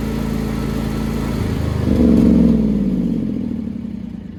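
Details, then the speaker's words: John Deere X340 riding mower single-cylinder engine, long-running intermittent rough running and stalling after a few minutes despite rebuilt carburetor, cleaned tank, new fuel pump, ECM, plugs and filter; speed swells and sags, held running only with choke; cause unknown. "Okay, so just showed it again. And also showed something, that at the end I was basically using the choke to keep it from stalling."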